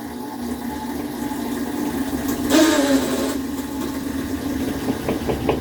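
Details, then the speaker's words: Kenmore washing machine after fixing its heavy shaking and walking: steady low hum, a surge as the water pump activates, then a faint light knocking from the back. Normal operation, no problem. "pues ese sonido que se escucha ahora está como se llama la bomba de agua que se quería activar y pues el golpeteo que es escuchado poquito es la manera que está atrás así que nada de eso es mucho problema"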